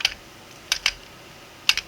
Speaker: hear it turning clicking may be a little difficult at first that can't turn clockwise